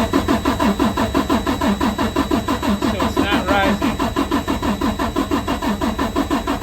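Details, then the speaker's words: Freightliner Cascadia DD13 diesel, code SPN 157 FMI 15 low rail pressure, QCV unplugged: slow even cranking about once a second for seven seconds, no firing, rail pressure not rising; bad high-pressure fuel pump likely. "Alright, so I had seen here it's not happening, so this most likely is a bad high pressure fuel pump"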